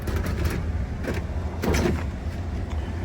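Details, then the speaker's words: Goodman split AC with frozen evaporator coil, condenser off, indoor furnace blower running: steady low whoosh and even hum, no scraping, rattle or squeal; blower normal, refrigeration issue suspected. "But the fan is running and uh sounds like there's no issue with the fan."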